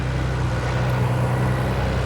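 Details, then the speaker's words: Nissan 300ZX at 134,000 miles, just after an oil change, on the lift: smooth even idle rumble, no tick or knock; oil pressure present, no leaks, engine healthy. "No tick, no knock, nothing. Just, she's good. Not bad for 134,000 miles."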